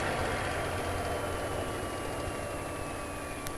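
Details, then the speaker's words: Warbird V12 aero engine idle check after a 2300 RPM run-up and prop check: low, even idle ending in a sharp single pop, a mild backfire expected when it reaches idle. Slight backfire at idle. "you'll hear that backfire a little bit when it gets to the idle"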